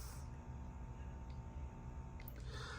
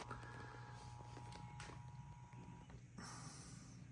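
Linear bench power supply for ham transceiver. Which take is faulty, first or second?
second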